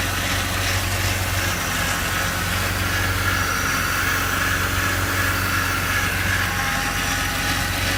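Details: BMW E46 330i at idle: dense, uneven mechanical rattle that seems low at the front, near the front of the oil pan. Owner has ruled out the A/C compressor, belt and pulleys, water pump and VANOS. Source unresolved.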